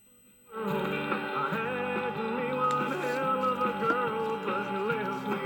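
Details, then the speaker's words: Zenith Trans-Oceanic radio with solid-state 1L6 replacement tubes, receiving KTNN 660 AM at night from Los Angeles: a thin, steady high whine behind the music that persists after swapping the 1L6. Probably interference, not confirmed. "you will hear some whining or a high-pitch noise in the background that's this"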